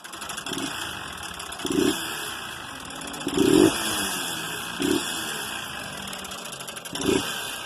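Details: Honda Fan 160 single-cylinder motorcycle that was ridden without oil, idling with short throttle blips; a harsh, dry mechanical rasp on each blip as the piston nearly seized, scuffed from oil starvation.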